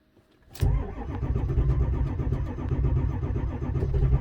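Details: 2002 Ford F-350 Super Duty 7.3 diesel cranking on a cold snowy day, glow plugs cycled, lift pump running, oil pressure and 2300 ICP present, batteries low; deep even cranking drone that never fires, crank no start from failed camshaft position sensor.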